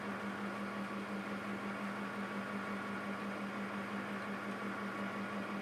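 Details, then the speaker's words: Backup server at boot during drive expansion (RAID card, new WD Red drives): steady droning hum with rough rushing whir that wavers; a cooling fan clearly bad, to be replaced. "i'm going to replace that cooling fan that's very obviously bad sounds like garbage"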